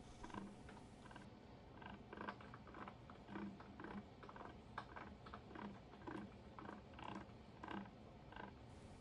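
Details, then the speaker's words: Kearney & Trecker 2HL universal milling head with a newly made drive gear, turned slowly by hand with a socket on the drawbar: irregular gritty clicks and creaks. Crunchy gear mesh; the gears appear not to mesh deeply. "so there seems to be some crunchiness in the gear mesh so I'll take this bracket back off and take a look"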